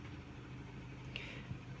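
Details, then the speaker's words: 2023/24 Fiat Cronos with CVT automatic, about 53,000 km: the transmission whine stops once shifted into park, leaving a low, smooth, even idle; the whine grows louder with the air conditioning on. "vou olha só para vocês verem como é que para o barulho na hora que a gente engata o parque"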